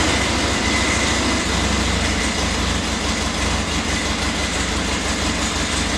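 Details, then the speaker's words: Flood-damaged 2011 Harley-Davidson XR1200X, 128 miles, new battery, fuel drained and refilled fresh, no water found at plugs: steady low V-twin thump about two beats a second, even with no stumbling or misfire; normal running. "alright guys so the new batteries in we're gonna go ahead and see if it'll start and I do have to mention when I got the bike I did drain the fuel out I did refill it with new fuel"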